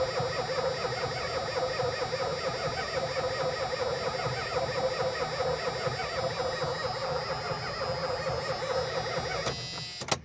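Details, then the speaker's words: 1983 Dodge Diplomat police car sunk in a barn about 20 years, cranking: steady, even starter churn for about ten seconds with no binding, not seized; oil pressure light goes off while cranking, carburetor rebuild suspected needed. "The oil pressure light goes off when you're cranking it. So, it must have oil pressure."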